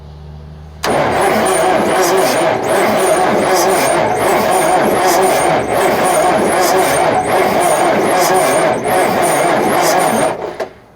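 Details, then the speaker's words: 1994 Freightliner Classic, old Caterpillar 3406B diesel that sat for years: long steady cranking at about four beats per second after diesel was sprayed into the intake, never fires. Starter sounds labored and the owner thinks he smoked it. No oil pressure, no oil reaching the turbo. "All right, I think I smoked that starter. Yeah, the thing's not going to start."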